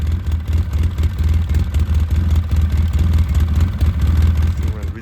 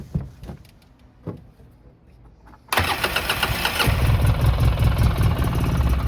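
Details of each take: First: 2009 Polaris RZR 800 barn find, parked about 5 years, earlier stalled whenever given gas; steady lumpy engine beat about four pulses a second, running on its own without cutting out; engine runs fine now. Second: 2009 Polaris RZR 800 parked about five years, first start attempt: brief crank, catches and runs roughly about six seconds, then dies when given a little gas; starts but won't stay running.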